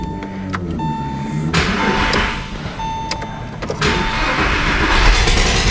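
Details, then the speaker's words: Porsche 911 996 Carrera cranked briefly for a compression test, coil packs disconnected, plug out of cylinder 6: even, fast starter cranking with no dragging. "We'll hear that exhaust coming out, but we're just gonna crank it literally for like it starts, and we shut it off."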